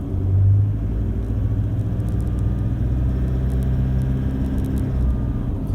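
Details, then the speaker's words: 2013 Toyota Hilux Vigo diesel, cold and just started: a deep rumble pulling away, with an irregular metallic rattle coming in around 2000 rpm under light throttle. Not the injectors; described as common on these vehicles. "like on and off like a tap as soon as you get to 2000 revs in comes the rattle anyway it's a characteristic of a lot of these vehicles but not all of them"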